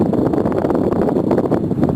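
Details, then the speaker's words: Repaired (cleaned and lubricated) Honeywell tower fan, squirrel cage visible at the bottom turning at full blast: steady rushing airflow with even whir, no rubbing or rattle; running cleanly. "You can see the squirrel cage moving around there. It's moving around pretty good. It's going full blast."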